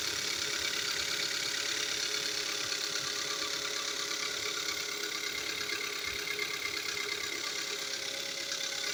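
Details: 2015 Kia Soul idling with a fast, fairly even light ticking about three a second that speeds up with revs; dealer called it normal, later found to be piston slap scoring the cylinder walls, engine replacement covered by warranty.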